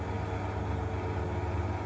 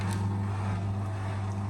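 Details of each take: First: Beko bPRO500 B5W51041AW 10kg washing machine, 9 months old, 240 cycles: a rare inverter module glitch and reset leaves the drum tumbling with the spin brake engaged. It makes a steady deep grinder-like rumble with a faint tone over it. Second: Beko bPRO500 B5W51041AW 10kg washing machine, 9 months old, 240 cycles, installed outside: the drain pump sounds growly at the start of a cycle, then a loud steady hum. The growl went away; owner blames a few days unused, so normal.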